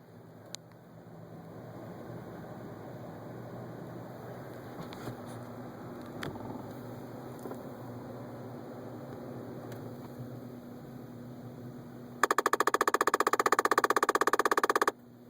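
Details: 2011 Ford Focus at 23K miles with the heater rarely used: a steady blower hum, then about three seconds of loud, rapid, even clicking from the dash vent when the heater is switched off. The vent sounds stuck, a heater vent failure.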